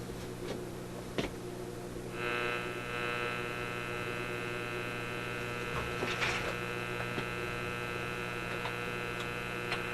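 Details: Simplex antique vacuum tube radio after the B+ problem feeding the Magic Eye tube was fixed; eye glowing but barely deflecting. Steady low buzzing hum under faint crackles through the speaker; cause not confirmed. Mains hum.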